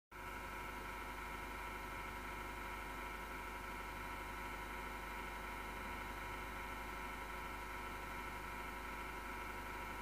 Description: The Sound of My PC PSU Fan is Horrible bearing is bad and vibrating desktop pc after did rattling make or clicking